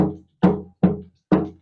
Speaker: and we start doing our little tap test and I can hear that snare drum sound is they coming through I hear a loose brace yep and I'm hearing several places that there are loose Braes